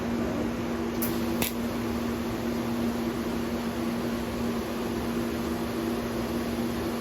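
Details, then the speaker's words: Lincoln Square Wave TIG 175 Pro replaced by a Vulcan ProTig 205 (Harbor Freight) TIG welder; the new machine's cooling fan runs with a steady, even, constant low hum in a quiet room, no rattle or wobble. Normal cooling fan running. "Fan's on, as you can hear it. I don't know if you can hear me talking there."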